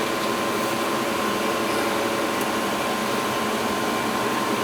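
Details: Old Goodman gas furnace blower motor after oiling (it was hard to spin before), running on a no-heat call: steady, even whoosh of air with a faint constant hum and no squeal or grinding; running smoothly.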